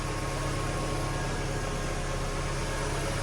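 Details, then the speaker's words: Mk3 Volkswagen Golf in neutral after oil change, oil light flashed briefly then went out: steady low idle, even drone, no knocks or misses; sounds smoother, normal idle. "Oh, oil light's flashing. Oh no, it's gone away. It sounds a lot smoother."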